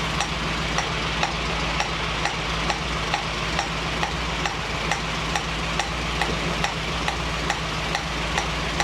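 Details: 1965 Mustang GT Convertible idling after installing a Tuff Stuff 7068K 140 A alternator: a new steady hiss with light regular ticks about twice a second near the carburetor; cause unclear.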